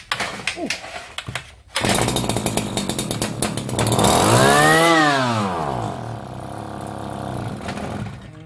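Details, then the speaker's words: Shindaiwa BP41 two-stroke brush cutter catches, revs briefly, then sags and stalls at low speed; clogged carburetor main jet blamed, engine itself considered fine; carburetor to be removed. "시동은 걸리는데 저속에서 꺼져 버리네요"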